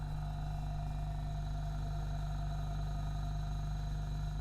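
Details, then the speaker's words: 3-phase induction motor under magnetic-contactor start/stop control, just switched on with ON button 1, turns smoothly clockwise at a measured 2986 rpm; steady low electrical hum with faint even whine, no knocks; normal running. "Pertama kita nyalakan, kemudian kita lihat saat tombol on 1 ditekan. Bisa dilihat motor bergerak atau berputar."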